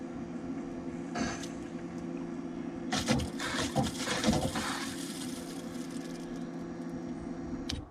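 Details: 2016 BMW F10 535d diesel, 26,000 miles, after fuel filter replacement: fuel pump run off jumper clips to prime, steady low hum with gurgling and hissing as trapped air is pushed back through the fuel lines.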